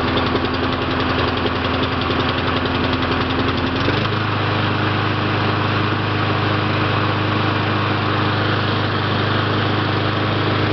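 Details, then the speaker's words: Mountfield 533 self-propelled petrol mower with RM55 OHV 160cc engine, started on choke: easy pull, starts first time and runs with a steady even beat, the note settling lower after about four seconds and running smoothly with no misses. "Quite easy to pull. Starts first time."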